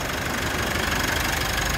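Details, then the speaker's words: Mitsubishi L200 Series 5 2.4 DI-D diesel just started after oil and filter change during a service: even, steady idle clatter with no strange knocks or squeals; engine sounds healthy. "check you've got no strange noises you can see everything's running fine"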